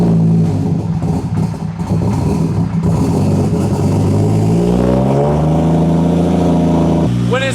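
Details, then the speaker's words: BMW 335i N54 before long-needed service: low lumpy idle with uneven stumbling and occasional sputters, sounds cam-like; owner assumes carbon buildup on the intake valves causes the misfire. "it kind of sounds cool kind of sounds like it has a cam it's got that weird little sputter what that actually is is a lot of crap built up on my intake valves or so i assume i should say"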